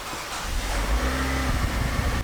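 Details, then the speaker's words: 2011 Nissan Juke 1.6L turbo four-cylinder with morning hard start and rich running, restart after residual oil cleared from cylinder: catches quickly and settles to an even low idle, no stumble or misfire; normal start. "Yeah, now it's perfectly smooth. Started right up. Let's try that one more time. Yeah, no hesitation, sounds good."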